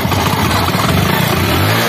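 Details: HF Deluxe single-cylinder bike, which had a not-starting/current problem, starts after the spark plug is tightened. It runs with a quick, even beat and no misses or knocks, and sounds healthy.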